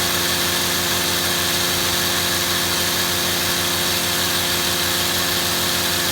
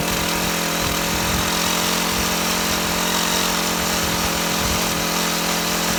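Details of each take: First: Shindaiwa HT2510-40 hedge trimmer, C4 four-stroke hybrid engine, after clutch, cam, timing and valve clearance repairs: steady high-pitched buzz peaking around 8,800 rpm, no misses, surging or rattles; successful test run, normal running at high speed. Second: Shindaiwa HT2510-40 hedge trimmer, C4 four-stroke engine, no power, test run after clutch replacement: buzzes hard at high speed with a strained, uneven note and little pull; runs terrible, half a cam lobe found broken off.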